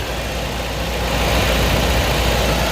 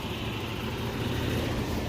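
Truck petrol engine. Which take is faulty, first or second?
first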